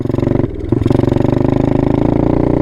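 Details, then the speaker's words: Low-torque dirt bike ridden too slowly in too high a gear: slow, heavy chugging pulses at low revs that never pick up, with no power, lugging and burning the clutch plates. "right so you know right there obviously you're not in an optimal gear and number two you can hear going it's burning that clutch guys it may last a while like that but eventually you're gonna have to replace your clutch plates"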